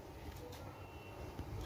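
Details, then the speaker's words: Lenovo G470 laptop motherboard, multimeter continuity test with the probe on ground: a thin, steady high beep at a capacitor shows a short to ground on the parallel 12 V/19 V supply lines. "मैंने जांच उपकरण को जमीन पर रख दिया है। आप देख सकते हैं कि मुझे यहां कैपेसिटर पर एक बीप की आवाज आ रही है।"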